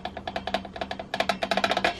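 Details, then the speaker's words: Lidl Parkside bandsaw: quick irregular hollow knocks as the loose wheel is rocked by hand; slack tension mechanism with a good millimetre of play, shouldered M4 bolts suspected. "The problem is the tension mechanism. The whole thing is so slack, it's beyond a joke. There's a good millimetre of play"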